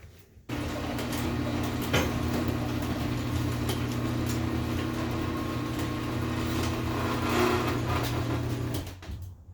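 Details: LS V8-swapped 4-speed Datsun 280Z with newly built exhaust: deep, even burble holding a steady low note for several seconds with no knocks, misses or rattles, then shuts off cleanly; normal idle.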